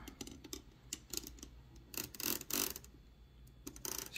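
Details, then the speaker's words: Torpedo 18B typewriter carriage: irregular sharp metallic clatter and ticks as something loose rattles. The carriage rack has been ruled out as the source, and the cause is not yet found. "hear for some reason there's still something rattling uh basically has nothing to do with um this rack here that's not the source of the rattling"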